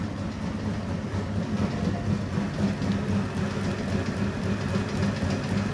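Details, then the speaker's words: Circa 1932 Bennett Model 450 twin gas pump, barn find idle over 40 years: steady motor hum with quick uneven slapping three to four per second from shredded drive belts flapping; otherwise runs. "The belts are kind of shredding, as you can see. But she's a runner."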